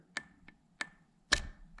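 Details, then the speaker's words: Ford 5R55S transmission front pump (Mustang V6, Ranger, Explorer): flow control valve pushed by hand clicks, catching on a wear edge instead of sliding; sticking kills pressure, fixed with rounded-top updated valve. "the flow control valve send fluid through here and then goes throughout and what happens with this is it'll fail because it gets a little wear edge you can hear it clicking right there"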